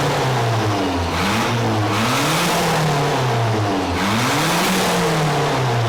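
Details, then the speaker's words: Nissan truck with a cheap Amazon turbo, back out of the boneyard after over a year: as the engine revs up and down, a squeal rises and falls with speed from the junk idler pulley bearing, which had seized earlier; the idler needs replacing. "you shut off that pul bear this bearing's junk that's what squealing is this bearing"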